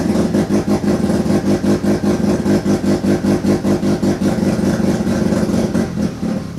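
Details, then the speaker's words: Turbo II FB RX7 rotary engine on its first real run, after leading/trailing coil checks; lumpy, uneven pulsing about four beats a second, surging and sagging without holding a steady idle. Rough running. "yeah so yeah this first time that motor has ever really run so I'm super happy still a few other kinks to work out"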